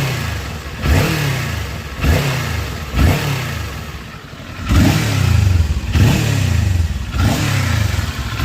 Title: Weird rattling noise especially at end